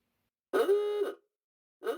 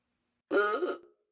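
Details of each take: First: 1930 Ford Model A with its original Spartan ahooga horn, reassembled and connected to a 6-volt battery: three loud ahooga blasts, each about 0.75 s, with a strong buzzing rise and fall; the horn works normally. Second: 1930 Ford Model A horn, tested on a battery before disassembly: short half-second buzzy, nasal duck-like quack with no rising ooga sweep; weak distorted horn.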